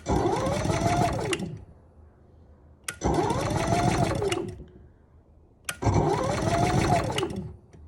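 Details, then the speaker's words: Camper generator with electric start, economy mode, remote and auto choke; three short whirring starter bursts that die out, never catches; the starter won't stay on long. "oh yeah it will not turn over if the gas isn't turned on and this one the starter won't stay on for a long time either"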